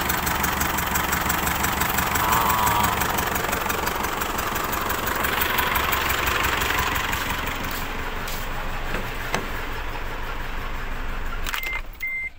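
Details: Isuzu D-Max diesel, hard to start, smelling of unburnt diesel, water in the oil dipstick: uneven, lumpy idle with stumbling beat as if a cylinder drops out; rough idle from suspected blown head gasket (or leaking part letting water in).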